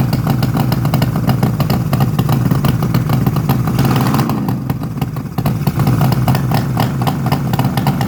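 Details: 1972 Suzuki GT750J two-stroke water-cooled triple, 35k miles, cold start on choke: busy idle with sharp raspy chatter over low drone; exhaust leaking where crossover pipe has come out of its joint.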